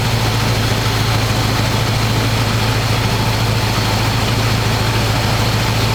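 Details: 1985 square-body 454 big block, 4-speed, sat 20 years, oil and filter changed; after adjusting idle screw that wasn't touching throttle, warm engine idles smooth: deep steady rumble, quick regular loping beat, no misses or knocks. Normal idle.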